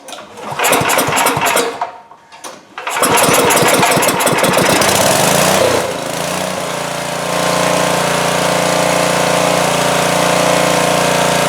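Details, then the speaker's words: 2002 Coleman Powermate 5500 generator, after carburetor cleaning and motor mount repair, air filter off: catches after a few pulls, stumbles briefly, then settles into a smooth, steady, even run at full run without choke; healthy. "yeah that started very easily I had it on immediately put it to full run and it ran great so that's pretty nice that's very very nice"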